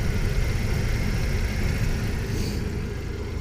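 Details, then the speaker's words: 1998 Jeep Wrangler SE, 2.5 L inline-4, 161,084 miles, idling just after an oil change. Even low rumble with a steady beat and no knocks or ticks; oil pressure at half, healthy. "Alright, sounding pretty good so far. The oil cap is on. The belt is running."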